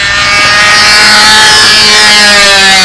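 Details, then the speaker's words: Windy Spitfire Jett 60 RC plane glow engine in level flight. A high, steady screaming note holds pitch with no burbling. The engine sounds too lean in level flight: lean running. "but now see if he's got a motor run that's the problem that sounds too lean in level flight to me"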